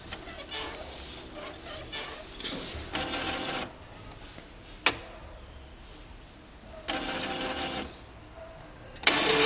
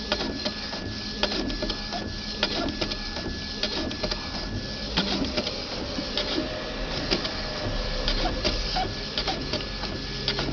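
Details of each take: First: Epson 3700-series printer at power-on: whirring carriage travel ends in sharp clacks as the carriage jams after cartridge cleaning near the end of initialization; print carriage jam at startup. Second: Epson XP-3700 inkjet printer after fixing carriage locking and strange noise by adjusting the ink hose; carriage makes even back-and-forth passes with regular paper-feed clicks, no grinding or stalling; normal printing operation.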